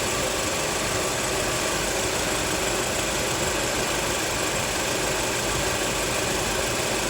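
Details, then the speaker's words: Normal A/C at idle: a Suzuki Swift at 110,994 km, after a new condenser fan motor, added compressor oil and refrigerant, gives a steady idle with the compressor cycling normally and no knocks or squeals; cabin 5-7°C, outside 30°C, heat not high. "คอมแอร์ตัดต่อปกติค่ะด้านค่าความร้อนก็ไม่สูงนะคะ"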